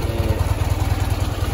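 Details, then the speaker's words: 1973 Ural M-66 boxer motorcycle, 948 km, 6-volt contact-breaker ignition, twin exhausts: low, even idle of about ten pulses per second with only intake and exhaust sound, no clatter; normal idle. "м 66 что-то вот он звучок в принципе не слышно ничего кроме звука сосо воздуха и выхлопа абсолютная тишина"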